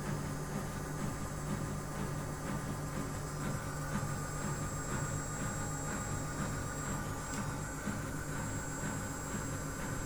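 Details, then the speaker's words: Miele washing machine during a citric-acid tub clean at 95 °C, drum winding up toward spin: smooth motor hum, pump heard clearly, no rumble or grinding; bearings new and healthy. "on entend mieux la pompe qui qui gère mieux il y a aucun bruit de roulement à rien du tout elle est neuve"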